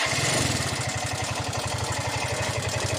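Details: Yamaha Mio i125 scooter engine idling with a steady low thump and a loud rattly mechanical clatter on top; noisy engine, cause suspected but not confirmed.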